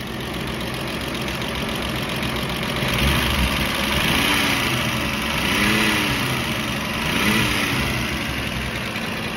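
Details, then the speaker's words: 1999 VW Eurovan VR6, parked five years, old fuel drained, running without serpentine belt and idler pulley: steady idle with slightly uneven lumpy beat and faint chirps; owner suspects slight misfire, check engine light on. "let's try to start this thing up one more time sounds pretty good i think [Music] might have a slight miss"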